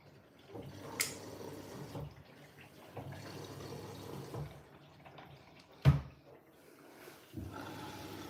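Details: New Siemens 10 kg washing machine, drum clean with a little Persil powder: soft splashing and trickling in short quiet surges as it fills through the back via the steam inlet, no pump whine or grinding; normal fill.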